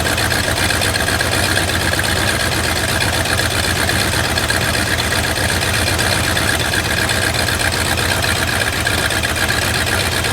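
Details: Lifted bullnose Ford carbureted V8 truck running after sitting almost 4 years, carburetor just cleaned, rebuilt and tuned: steady, even low idle rumble with no misses or knocks, holding idle on its own; normal idle.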